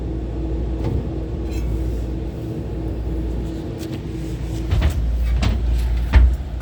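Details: Condenser fan motors 1 and 3 with bad bearings: steady low rumble with a faint constant hum and a few clacks late on.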